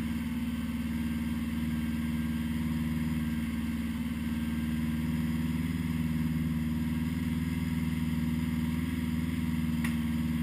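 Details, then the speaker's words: 1980 Honda GL1100 flat-four after a rebuild, slightly cold start at 54 degrees with carbs synchronised; smooth, even hum holding steady through light throttle blips, balanced carbs and clean running. "slightly cold start. 54 degrees after a rebuild."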